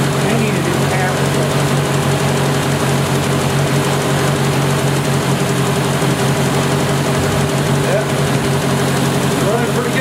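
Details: 1970 Opel GT barn find, first start in about 30 years, after a carb swap, new points and Bosch platinum plugs: steady low idle with faint unevenness, still missing slightly and a little rough. Choke is fully open; owner suspects carb and choke misadjusted and lacks power.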